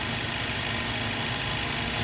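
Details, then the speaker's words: 2015 Holden Astra 1.6 petrol idling: a steady airy whistling hiss over a slightly rough idle with high long- and short-term fuel trims, air leaking past the failed PCV valve, part of the cover assembly, needing replacement. "Parehas lang siya ganito noise maingay magling noise tapos medyo nagrap idle ito ang problema niyan PCB siya ang problema niyan"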